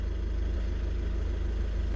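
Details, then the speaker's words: Volkswagen Caddy 2.0 TDI common-rail diesel after fuel system repair with new injectors coded: low, even diesel clatter at idle with a steady rhythm, no misses or stumbles; injector deviation values normal after replacement; normal idle. "запускаємо автомобіль опускається легко працює рівно зараз зайдемо подивимося параметри роботи на холостих"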